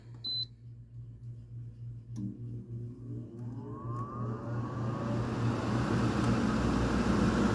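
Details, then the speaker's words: Cheap modern 14K air conditioner previously making a compressor noise (owner suspects compressor or capacitor): a short beep, then the fan spins up into a smooth steady hum with no rattle or strain; starts normally this time. "Okay, it works fine this time,"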